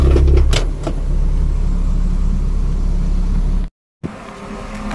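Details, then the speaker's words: Hyundai Inokom Atos Prima 1.1 after the shaking fix; the exhaust's earlier puffing note heard this morning is gone: small engine running steady with a smooth even exhaust note, no popping or puffing; normal exhaust. "pun bunyinya seperti cup macam tuh hilang, sebab pagi tadi saya udah start di kereta, saya gunakan di kereta untuk kerja dan bunyi dia seperti itu."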